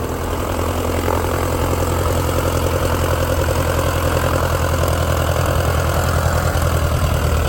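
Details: 1946 J-3 Cub engine at first start after a four-year restoration: a deep, smooth engine beat with a steady propeller thrum and no misses. Mags and carb heat checked good, temperature a little over 100. Normal idle and run-up.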